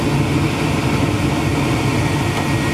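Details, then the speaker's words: Heil furnace: burners firing with a steady roar over a smooth inducer hum, the inducer pulling 1.28 amps; normal burner operation. "Okay, we have fire. And you can see we're pulling 1.28 amps."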